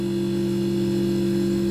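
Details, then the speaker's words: Refrigeration system with the condenser fan slowed via its controller to raise head pressure: the fan quiets and a steady low hum with a clear, even compressor whine is heard, no knocks or rattles. Normal compressor whine. "You see, it's quieting down a lot now. Okay, hear that nice little whine of the compressor."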